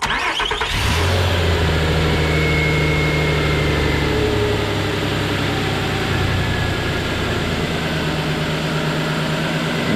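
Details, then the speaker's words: 2009 Nissan Pathfinder SE 4WD, 4.0L V6, just after drive belt replacement: cranks and catches within a second, then steady even idle with no squeal or chirp from the new belt; normal start and idle. "And she is good. You see that fresh writing on that belt spinning around, so she looks good, guys. I don't see anything look off. Nothing looks wrong. Nothing sounds bad. Everything's good. Don't hear any noises."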